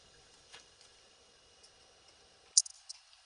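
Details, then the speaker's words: Electric water heater: one crisp click as the high-limit reset button is pushed, then silence, showing the safety cutoff had tripped. After reset it runs, then trips the breaker within 1–2 minutes; a heating element is suspected. "you can hear that click when I pushed it. So, something tripped to click that off."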